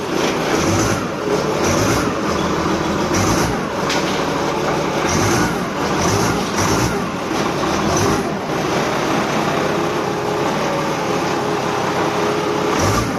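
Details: Forklift running after temporary gear lever connection repair, testing forward and reverse: engine runs steadily under a recurring rise and fall of load, no knocking or grinding; sounds healthy.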